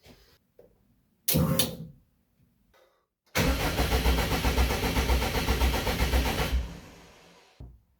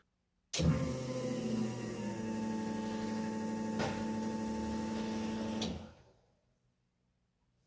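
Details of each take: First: Widebody Subaru WRX wagon race car on a Haltech Elite 2500, first start attempt: the starter cranks evenly for about three seconds with no firing. The fuel relay is not switching on, and the ignition switch needs hardwiring. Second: Widebody Subaru WRX wagon race car on a Haltech Elite 2500, after the fuel relay and ignition wiring fix: a steady electric fuel pump whine for about five seconds, stopping cleanly. It is priming for the correct time.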